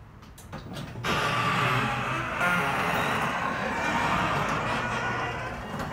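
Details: Genie garage door opener recorded up close: loud, uneven squealing and creaking as the door travels over the motor drone; an extremely squeaky, noisy door, louder than in earlier recordings.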